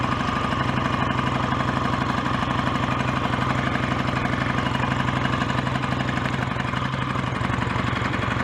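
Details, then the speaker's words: BSA A10 Super Rocket 650 twin at warm idle off choke after carburettor needle was cleaned of dried-fuel deposits and raised two grooves; steady even beat about four pulses a second, no misses, healthy idle. "certainly running well without the choke on now and uh that's what the complaint was so that's sorted"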